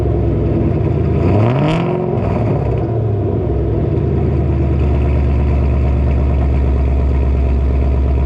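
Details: Ford GT500, about 700 wheel horsepower, cats removed, Kooks X pipe, first startup after reinstall: loud deep V8 blips up and settles into heavy, slightly lopey rumble with no knocks or ticks; healthy uncatted exhaust note, normal idle.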